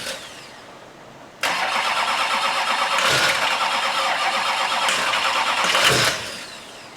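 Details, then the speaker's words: 6.6L Duramax diesel swapped into Jeep Wrangler, first start on stripped harness in reduced engine power with security issue: fires and catches but runs rough and ragged, not wanting to settle into idle; cause not confirmed. "does it sound so bad now? It's not wanting to run."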